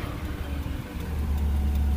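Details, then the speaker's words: 2007 Ford Crown Victoria Police Interceptor V8 with 84,000 miles, sat a long time, radiator burst after an hour of running: deep, steady, even idle with no knock or tick, motor sounds good. "you can see how good it sounds"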